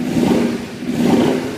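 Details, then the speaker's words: Carburetted motorcycle, cold engine at 72°F, choke off, carb sync vacuum hoses pulled off to create a vacuum leak: engine speed swells twice and sags back, idle won't hold and eventually dies; vacuum leak, runs fine with hoses covered. "just has a vacuum leak but it'll always eventually die just doesn't it doesn't like to run"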